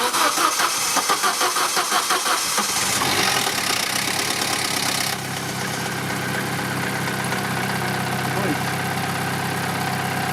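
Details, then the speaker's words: Vauxhall Corsa after replacing spark plugs and cleaning, started to test an engine shake: cranks about 2.5 seconds and catches, then idle sags and stays uneven, struggling to stay running; better than before but idle still unstable. "it's way better but it's struggling to stay on still car not sh off so guys it sounds better but ther"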